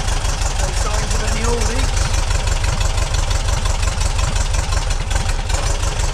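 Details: Refreshed 2-litre VW flat-four on a test rig, first start, still cold: deep steady thrum with even chuffing beat, no knocks or ticks; timing being checked, sounds like a good runner.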